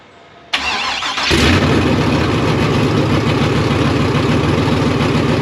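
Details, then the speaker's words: Chevy/GMC K5 Blazer V8 with big cam, freshly fitted Holley Terminator X EFI, no exhaust, rings still seating: quiet crank, then loud, raw, even idle with crisp open-exhaust note; healthy engine running. "it cracks off I'm super excited and it sounds awesome it doesn't need exhaust cuz it sounds like a jet airplane in my driveway here"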